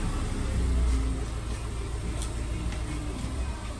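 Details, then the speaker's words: Subaru EJ15, previously misfiring, running after replacing one valve cover gasket: even, steady note, starts quicker, gains revs readily and holds them without coughing; running cleanly. "I'm a bit shocked right now. EJ 15. Gaining revs a lot easier. Holding the revs."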